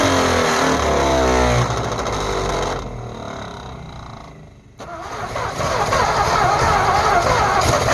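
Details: 1948 Ford F5 bus abandoned 25 years: slow, even cranking around four turns a second that sags and picks back up but never fires; owner suspects a weak battery, considers running a charger while cranking; an earlier attempt backfired. Extended cranking, no start.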